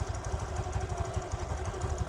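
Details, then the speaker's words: 2015 TVS Jupiter scooter with about 50,000 km: steady, even low putter at idle, smooth regular beat without knocks or rattles, very quiet; healthy normal idle. "इसके अंदर बहुत ही ज़्यादा silent engine use किया गया था।"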